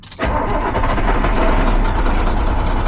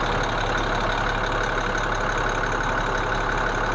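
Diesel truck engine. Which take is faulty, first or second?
first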